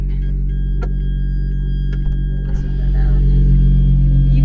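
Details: Valved exhaust on a healthy running engine compared with the owner's blown-engine Lotus Evora: deep, smooth, steady exhaust rumble with no knocks or misses, rising slightly near the end; normal idle.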